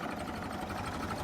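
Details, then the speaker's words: Late-1955 original Farmall Super MTA diesel tractor, same engine as TD6 dozer, idling at about 350–400 rpm, just barely turning over: slow, even, steady percolating beat, no knocks or misses; normal idle. "running about 350, 400 RPM. What do you think, DeVito?"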